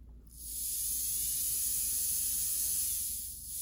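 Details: Rewound, remagnetized and oiled Athearn Jet 400 HO-scale motor running free: smooth, high hiss with a faint steady whine and no catches. It draws under 50 milliamps, and stall current has been halved to about 1.5 amps; it now runs better than ever.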